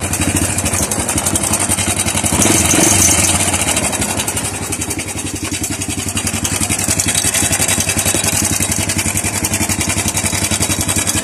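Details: Honda Wave 100 motorcycle, engine suddenly noisy, idling with a fast dry metallic clatter located in the cylinder head: timing chain rattle.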